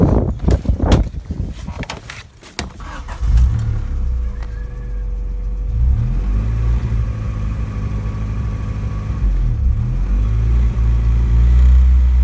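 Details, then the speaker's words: Honda held at 1500 rpm after checking coolant and bleeding air from the hoses: idle now holds a smooth, even fast idle without hunting up and down; idle-hunt issue gone. "Well, as you can see, it's definitely not doing it anymore."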